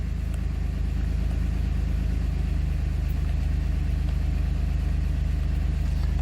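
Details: 2007 Dodge Nitro, idling after fuel pump replacement and an oil change. Smooth, even low idle with a steady firing pulse and no misses, ticks or surging; runs normally.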